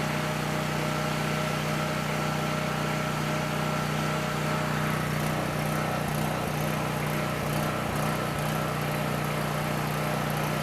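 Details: Coleman PowerMate 6560 generator, carb rebuilt but ran only on choke, fixed by putting carb gaskets in correct order: steady even drone, constant low hum, no hunting or misses, running off choke at governed speed; normal running.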